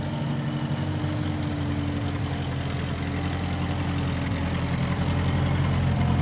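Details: 1955 Massey Ferguson MF65 tractor, run after sitting a couple of years, carb cleaned; owner thinks the Marvel Schebler carburetor needs slight dialing in. Steady, even low rumble with a smooth regular beat, no misses or knocks: normal running.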